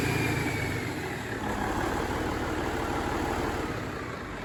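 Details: Fully mechanical N14 Cummins 498 HP step-timing diesel, freshly rebuilt after a broken piston skirt, cold start: steady, even clatter settling into a smooth idle with no knocks or misses; normal.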